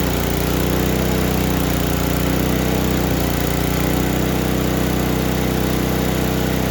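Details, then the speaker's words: Murray Ultra 5hp snowblower with a Tecumseh engine, running after a step-by-step carburetor cleaning: a steady, even single-cylinder putter with no misses or surging. Normal running. "All right, like the way that sounds."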